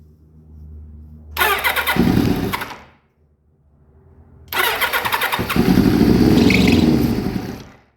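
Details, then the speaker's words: Kawasaki Ninja ZX7 first start after 12 years stored, with rebuilt carbs, new fuel pump, filter, battery and switch, choke on: fast starter whirr, then rough catching running with a faint high squeal on start-up; owner suspects the alternator belt. "Didn't like that sound at all. I think the squeaky noise was the belt from the alternator. I'm going to check that out. I think it's the alternator belt."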